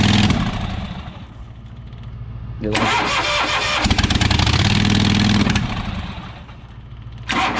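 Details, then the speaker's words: New Holland LS140 skid steer, bought new early 2020, exhaust broken in two spots, cold start: repeated cranking with stumbling catches that won't settle; hard cold starting since last spring, cause unknown. "I bought this new in the beginning of 2020 so it's almost three years old I'd say it's two and a half or so and never since last spring it's been having this problem starting when it's cold out"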